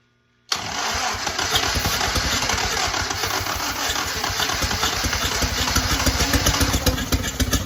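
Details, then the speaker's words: Original WWII Willys Go Devil engine, not run in decades, first start on a 12-volt starter and battery: catches abruptly, runs ragged with irregular pops and a backfire while the starter is pulled off; sputtering start, timing thought close. "A little bit of a backfire, burn a little bit of hair, but I'm tickled pink."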